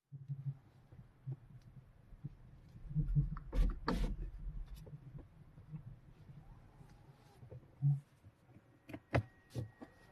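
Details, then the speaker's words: BYD Qin L front wheels, cold car at low speed, steering after speed bumps: dull muffled thumping/rumbling clunks low down, before repair; fixed by replacing both front shock absorbers, no noise after several hundred km. "那么换完之后的话，差不多有这个3、4天的时间，我也开了几百公里了，目前没有任何的异响，所以我觉得这个换减震器是解决了这个异响的问题。"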